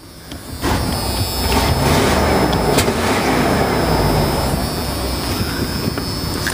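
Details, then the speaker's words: 1989 Lindy motor home with a Ford 460 petrol V8, 47,000 miles, new battery, starts right away and settles into a rough, puffing idle. A small exhaust leak is suspected; it blew a little oil at first start. "47,000 miles and starts right up battery's good we put a new battery in it and but you can hear it's got a little bit of an exhaust leak"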